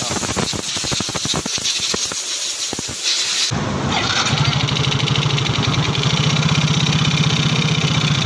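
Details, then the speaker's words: Yamaha Soul GT scooter at idle: harsh rough mechanical clatter; oil check found the engine nearly empty of oil from always being late with oil changes. "kali ini ada pasien Yamaha Soul GT untuk belahan motornya dari suara mesin berisik guys"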